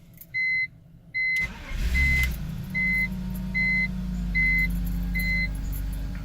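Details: 2001 BMW 325i, 171,000-some miles, started right after a DIY fuel pump replacement (Bosch 67896) once the pump was heard priming: a repeating chime, then a short crank that catches cleanly into a steady, even idle. Normal start with good fuel delivery.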